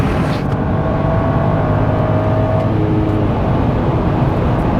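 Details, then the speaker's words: 2011 BMW 535i xDrive F10 with rebuilt N55, first road drive at speed limit: steady engine hum under smooth cruising, no knocks or odd noises over road roar; car sounds and shifts good. "Car sounds good. Car shifts good."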